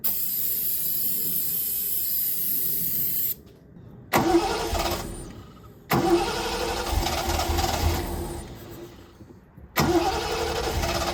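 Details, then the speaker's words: 1972 Triumph TR6 that idled at 200–300 rpm and died on throttle, now fed by an electric fuel pump straight to the carbs: short cranking bursts and retries, never fires. Owner suspects a carb float needle is stuck, starving it of fuel. "have the feeling that one of the carbs the needle is stuck on the float and it's just starving"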